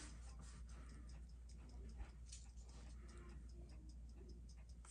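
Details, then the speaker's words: Restored Seiko 7009-8740 dress watch after full disassembly and new crystal: faint, quick, evenly spaced ticks about six a second, steady beat with no stumbles; movement running healthily, hairspring may audibly sing. "Sometimes these you can hear these models. The hairsprings will actually sing."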